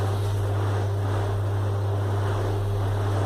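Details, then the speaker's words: Split air conditioner indoor blower wheel on balancing rig after adding counterweights: steady even hum at maximum speed, no wobble, pulsing or knocking; balanced and running smoothly. "está perfecta Ahí está en máximas revoluciones y ahí quedó perfecto"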